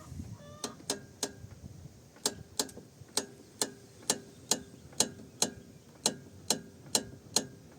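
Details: Kia Rio X front-left suspension knock, present for a year, on pulling away, braking and over bumps despite new strut mount bearing and strut rebuilt; sharp uneven metallic clicks about two a second as steering is rocked.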